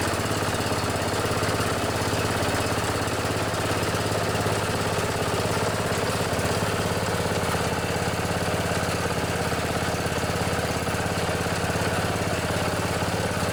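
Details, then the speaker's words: Old Murray riding mower, its flathead engine replaced with an Intech 14.5 OHV engine, runs with a steady, even single-cylinder thump at constant speed, no knocks or misses; normal running. "And I put a good old Intech 14.5 industrial commercial gold engine in this one. It runs pretty good."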